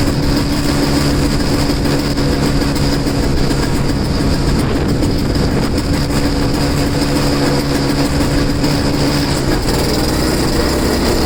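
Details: Two-stroke snow blower started in cold, windy weather after sitting 10 months, choked and unprimed. It holds a steady, even drone with no misses or surging. Self-propel isn't working and owner suspects a worn impeller.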